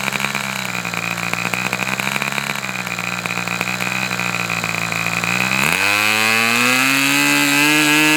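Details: Customer's Fox twin-cylinder glow engine on probably its final run of the day, outdoors as it cools off: crisp, even high-pitched buzz from both cylinders, then a clean jump to a higher steady pitch; smooth, healthy-running twin.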